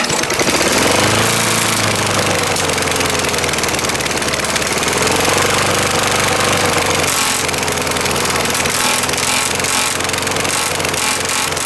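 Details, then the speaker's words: 1980s Craftsman Eager-1 mower with an upside-down, off-centre blade: harsh metallic clatter over the engine. The cracked deck flexes enough for the blade to strike its sides. "uh it flexes enough to have the blade actually hit on the sides and I'll demonstrate that when I fire it up"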